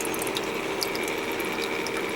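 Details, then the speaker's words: Master Chef countertop ice maker with replacement water pump, just refilled with water: continuous fast ratcheting rattle with a thin whine; pump still noisy, owner wonders if it was running dry, unconfirmed. "oh now it's working still doesn't sound great I wonder if it made that noise cuz it was dry"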